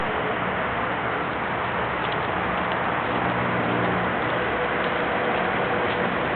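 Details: Nissan 200SX SE-R with Bluebird SR20DET and 264/264 stage 2 cams, after boost, no throttle input until stall: lumpy ticking idle that never settles; vacuum leak from blown-off intake manifold nipple.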